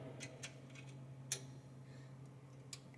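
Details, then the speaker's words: Bottle labeler limit switch being adjusted: a few crisp, light clicks over a steady low hum as the switch snaps cleanly when the handle comes down; working normally. "You can kind of hear it clicking, and you don't really want it pushing too much on that metal and messing it up, so I'm just going to back it up a little bit here."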